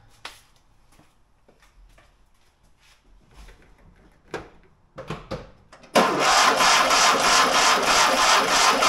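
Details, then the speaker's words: Fiat 126 barn find that sat for many years: after some handling noise the starter cranks steadily and the engine never fires. The distributor points were then found stuck together, so no spark. "Njet. Ingenting. Då tror jag att vi tar och plockar av för det locket och kollar."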